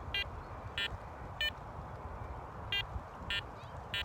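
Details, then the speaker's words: Garrett Apex metal detector, iron separation test with a quarter in the middle of coin slot one among iron. Six short, bright high-pitched beeps about every 0.6 seconds over a low hum, clean and repeatable: target tone. "we're getting it in direction three we got some good results from that quarter being in the middle"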